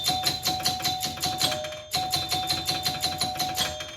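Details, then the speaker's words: 1977 Gottlieb Bronco pinball after bending relay switches to close fully: quick runs of bright 10-point chime strikes, about five a second, with a short pause; 10-point scoring now works properly. "okay and now let's just hit some 10o stuff oh my god did that oh my god that actually fixed it look at that"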